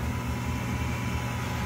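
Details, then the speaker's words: Gas hanging heater after fixing a high-pitched hissing noise caused by undersized gas piping: burner lit with a smooth, steady low roar and no whistle; normal burner operation after repair. "all right all right it's lit [Music] no noise so we fixed the problem perfect"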